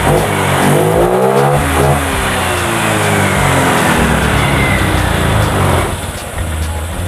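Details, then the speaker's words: Fuel-injected motorcycle after throttle body service and TPS check, before ECU reset. Engine picks up cleanly and revs smoothly up and down without stumble or hesitation, settling evenly; normal revving after service. "suaranya udah normal Enak ya yang tadi suara kedengaran suara sensor TV ya di kayak sensor TV jadi itu yang kita service juga tadi"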